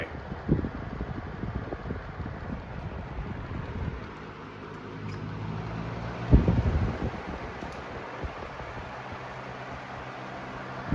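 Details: 2009-10 Galaxy 4733 20-inch box fan on high: soft, steady whoosh with low hum and a few handling bumps, quieter than newer fans; normal running.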